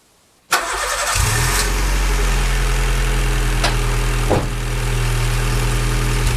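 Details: Honda Civic EJ9 start-up after final optimizations, checking whether the sound changed; quick crank, catches at once, even steady idle with no knocks or misses, sounds quite good; normal start and idle.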